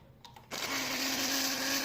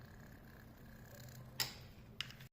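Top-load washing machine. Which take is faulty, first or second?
first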